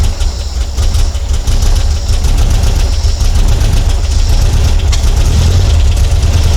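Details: Porsche 912 with Dellorto DRLA carburetors, before installing the update kit: low, uneven, lumpy stumbling idle that never settles, as happens at every start; a clogged idle jet is starving the engine, and cleaning the jets restores good running.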